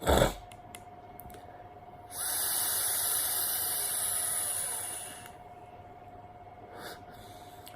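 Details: Vandyvape Pyro V1 rebuildable tank on the draw: loud, rushing airy hiss for about three seconds, then quiet; turbulent airflow through the air intake, a noise the owner says it has always had.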